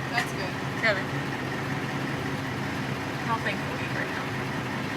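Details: Ford F-450 diesel after flushing gasoline from fuel system and injector lines: steady idle with even rumble, previous high screaming gone; fuel delivery sounding normal, though still chugging slightly afterward.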